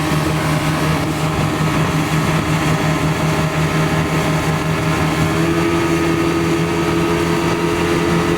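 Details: 115hp Mercury outboard on a Back Country 171 Pro Guide boat, running after oversized, leaking fuel hoses were replaced with correctly sized ones. Steady, even drone with a constant low hum and no misses or knocks: normal running.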